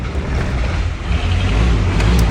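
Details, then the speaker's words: 1972 Range Rover Classic Suffix A, called a big old diesel by the owner, on its first start in a recommissioning, run on choke while cold and smoking heavily. Deep, low rumble at a steady cold idle, slightly uneven but holding. Runs fine. "oh it's a bit cold come on warm up come on wow i wish you could see my face right now i did not expect that to start"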